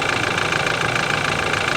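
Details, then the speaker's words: Old BMW at auction: idle and light throttle with hard, clattery top-end chatter, noticeably loud, compared to a diesel; no exhaust smoke; cause unclear. "I guess it's all right it it seems a little loud to me though no smoke coming out of the exhaust so that's good"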